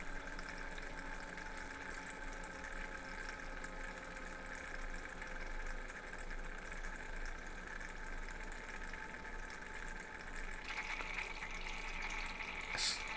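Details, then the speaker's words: Thermalright 360 AIO on a test bench, pump rated to about 3400–3500 RPM, owner considering a fixed pump speed: a steady low pump hum with a faint gurgling, bubbly trickle that sometimes sounds worse than the fan noise; owner suspects trapped air. "you know it's reallyy really annoying to be honest the bubbly sound sometimes it just sounds worse than the fan noise"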